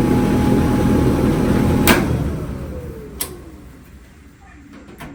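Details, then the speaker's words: Whirlpool dryer that made noise while running, heard after a part found touching the drum was bent away; rollers, blade and belt were checked and are good. Smooth steady drum rumble with a light motor hum and no scraping, then the drum coasts down: normal running. "All right, I found the problem. That was touching the drum. It was like this. Now, I bend it like that. And toward this way. And now, let's run it. And now, it stopped making noise."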